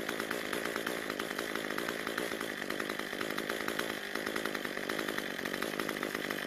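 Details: Cub Cadet two-stroke trimmer that wouldn't idle long, after turning the carburetor L (low-speed) screw about a quarter turn counterclockwise to richen a lean idle: buzzes evenly at idle, steady pitch, takes throttle cleanly; runs properly.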